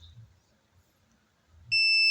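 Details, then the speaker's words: Polytron slim TV that is dead and squealing: meter on buzzer setting across the three-leg power transistor gives a steady high-pitched beep, suggesting the transistor may be shorted. "Oke bunyi Oke bunyi dan dibalik enggak boleh bunyi oke oke positif bisa jadi ini transistor sudah jebol"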